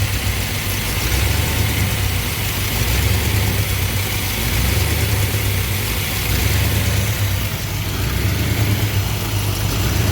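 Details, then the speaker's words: V8 with rebuilt Thermoquad carburetor, reassembled with mixture baseline at 2 turns: warm idle briefly better then rises and sags about every two seconds, never settling; lean idle surge. "Oh yeah, much better. Well, it was better for a second, now it's surging again."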